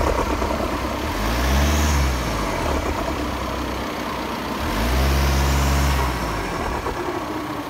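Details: Audi A6 2.0 TDI 170 hp diesel running: two slow surging swells of low rumble a few seconds apart, rising and falling; source of the strange noise unclear.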